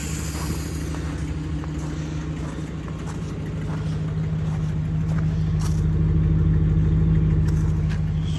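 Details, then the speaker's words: Mercury Grand Marquis 4.6 V8 with 171k, jump-started on two packs: a deep, even low rumble that swells slightly but stays steady, with no misses or knocks. A normal idle. "purring drive her home"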